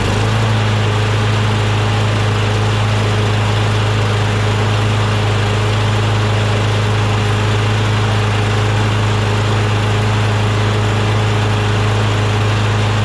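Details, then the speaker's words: John Deere JS26 mower with a Briggs Quantum engine, after the carburetor was cleaned of gelled gas and the remaining water was blown out through the muffler: steady, even drone with no misses or stumbles. It runs smoothly. "there was still probably a little bit of water maybe inside the intake manifold area but then once we shot some lube in there um some carb spray in there it ignited eventually right and then the combustion blew the remaining moisture out the muffler"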